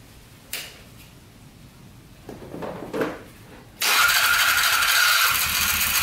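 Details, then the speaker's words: Polaris 500 4x4 ATV with plow, first start after fixing a no-spark fault, choke on. The starter spins, then the engine catches and settles into a steady, even idle with no knocking: normal idle. "oh yeah sounds good too oh baby that's awesome that is amazing it's idling perfectly no knocking at all sounds really good"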